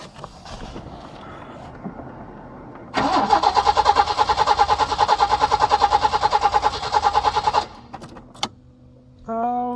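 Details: Peugeot 505 V6 manual, unused for over two months: steady starter cranking at about eight pulses a second for nearly five seconds, never catching; crank, no-start after reconnecting both ECUs, owner suspects injectors flooding with too much fuel.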